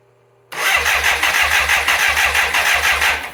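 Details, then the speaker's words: Fire-damaged 1985 BMW K100 motorcycle that sat 6 years, cranking with the plugs back in: the starter turns it over in even pulses about three a second, but it never catches. A relay with something loose inside was found; the fuel injection relay is faulty, so crank no start. "Okay, we got the bike torn down again, trying to find out why this thing won't start. Printed off a diagnostic sheet, booklet actually, from the internet, and started looking around, and I found a relay. Something was loose inside, so I'm pretty sure that doesn't work."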